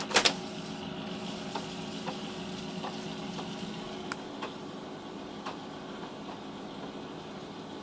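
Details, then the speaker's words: Amiga 500 floppy drive reading a game disk: faint ticks recur roughly every half second over a low motor hum as the drive keeps seeking; some games load and others don't, owner suspects a bad drive. "I'm guessing it must be the drive that's bad because it will start some of the games and then some of the games it won't"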